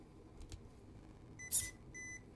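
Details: MEUS Racing ME25 25A brushed ESC (with M3280S servo) installed in a TRX4M 1/18 crawler: quiet background, then a short high-pitched beep and a second clean tone as the ESC powers on normally after throttle range calibration; normal startup beep.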